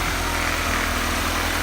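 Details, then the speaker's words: High-compression B20 swapped in for blown B18, aftermarket motor mounts, AC removed, first start after install: smooth, even idle with steady low beat, no ticking or stumbles; idle perfect, normal. "make sure the engine turned on and as you guys can see it's super smooth idle was perfect we're just waiting on that list"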